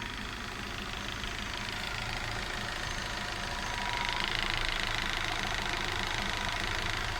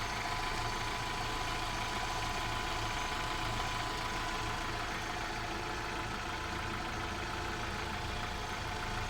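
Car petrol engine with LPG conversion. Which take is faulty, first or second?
first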